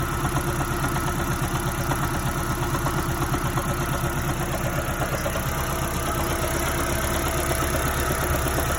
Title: 2010 prius code p261b water pump failure 3rd generation engine knock